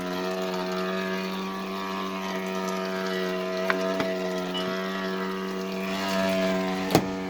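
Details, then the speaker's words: Electrolux washer keeps running after pause then cancel; timer jumped to 52 minutes; steady mid-pitched motor hum continues unchanged; cause unknown. "I hit pause and then I hit cancel, so it stopped it. It went to 52 minutes. Hold on. Went to 52 minutes and then it's still going."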